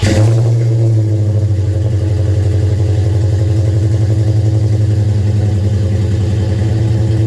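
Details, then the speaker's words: Dodge Daytona Charger V8 with headers and Flowmasters at startup idle: deep lumpy idle with rough tractor-like chuff from exhaust leaks at the headers, less audible from the back. "Although it doesn't sound very, it kind of sounds like an old tractor with the exhaust leaks off the headers, but you can't hear it too bad from the back."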